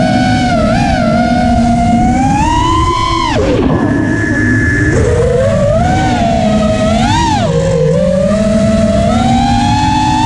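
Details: Emax LS2206 2300kv brushless motor: high whine rising and falling with throttle over a rough, gritty undertone; source of the odd noise unknown, and the owner suspects a bad bearing.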